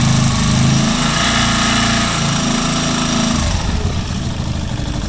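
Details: Keeway Superlight 125 motorcycle running with an uneven, throbbing beat and buzzy vibration over the exhaust note; strange noise and vibration, cause unclear.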